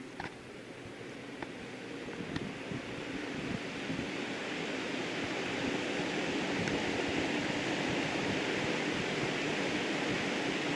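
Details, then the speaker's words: 1960s GE window fan running on low after cleaning and oiling, with a damaged, rounded-off motor output shaft: steady low whoosh of air with no rattles, scraping or motor squeal; normal running. "Down to low. It seems like it's running pretty nicely now."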